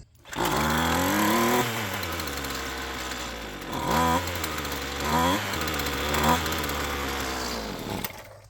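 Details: Roadside-found Poulan Pro PP28 two-stroke string trimmer, carb being rebuilt: buzzy idle sagging and surging with short rev flares, idle still unsettled while idle speed is being adjusted.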